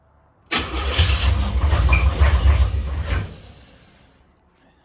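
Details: Box Chevy Caprice with a SBC Vortec 350 and 700R4: the starter churns in low rhythmic pulses for about three seconds, but the engine never fires. It cranks without starting; cause suspected, unconfirmed.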